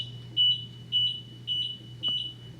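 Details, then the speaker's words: Golden Buzzaround LT (GB108) mobility scooter powered on with the brake lever left in freewheel (neutral) mode: high steady beeps about twice a second, the five-beep code; throttle does nothing until switched back to drive mode. "It's going to beep five times, okay? And it's not going to work. So, if you hit the throttle, it's not moving. Why? Well, for safety, your brakes need to be engaged in order for it to work."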